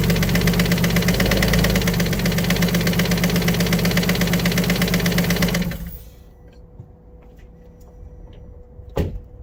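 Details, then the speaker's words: Alfa Romeo 147 GTA (Japanese import) engine at idle: sharp, even ticking about two to three a second until shutdown, a valve or hydraulic lifter tick; top end must come off, possibly both heads rebuilt, bottom end hoped okay. "it does run but it does have a tick sort of a valve tick or a hydraulic lifter tick so the top end of the engine is at least going to have to come off"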